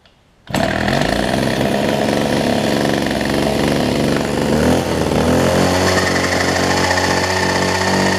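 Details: Older Homelite two-stroke hedge trimmer, new fuel lines and primer bulb, during carburetor low/high speed adjustment: hard buzz whose pitch wavers and drops mid-run; not yet smooth, still being tuned.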